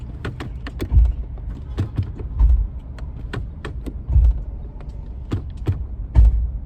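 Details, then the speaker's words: Nissan Pathfinder creaking/clicking while driving in gear; on the lift the driveshaft joint was found wobbling, and the worn U-joint was identified as the cause and replaced. "so we're doing testing here's what the noise sound like soon as I engage it and I drive you hear that noise you hear that"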